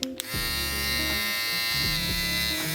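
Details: New Kemei 1974B clipper from AliExpress, during a noise test: steady, even high-pitched buzz with no rattle or catching. Normal clipper running.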